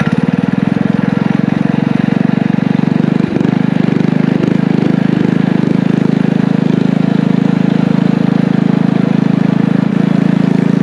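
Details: Small single-cylinder power-washer engine with muffler on a DIY motorized trike, torque converter clutch, ridden under load: steady even buzz through the muffler, no misses or knocks; running well.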